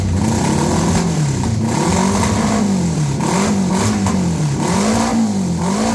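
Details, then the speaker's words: 1982 Honda Goldwing Aspencade flat-four, just pressure washed, newly acquired and needing work: smooth, even running with easy throttle blips, pitch rising and falling cleanly, no knocks or misses; normal running. "I pressure washed it and that's what it sounds like"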